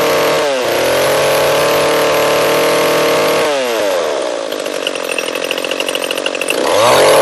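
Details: Echo CS-341 chainsaw, new carburetor fitted but still ran poorly, after carb high-speed tuning and new bar and chain: high clean screaming rev that drops and climbs back crisply without burbling; slight bog noted, running good.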